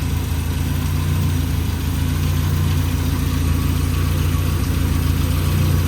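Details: Saab 900 turbo, which had a slight warm-idle misfire, after new spark plugs and distributor rebuild, running about five minutes during ignition timing check: smooth, steady low idle with an even beat and no misses.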